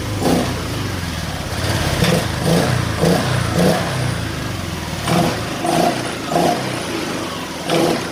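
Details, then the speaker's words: Honda Vario Techno 125 injection scooter after repair, fault traced to the ECU: crisp repeated throttle blips rising cleanly and dropping back to idle with no bog or roughness; normal throttle response. "motor ini sudah normally teman-teman teman-teman bisa dengar sendiri tadi cara saya menggas motornya pun sudah spontan"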